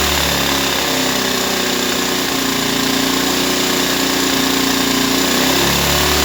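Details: Ryobi 1200 (1.2 kVA) generator, 3 hours use, stored 3 years, previously only ran on full choke; after carburetor refit, air cleaner off: fires on choke and holds a steady, even note with no misses or surging; normal running.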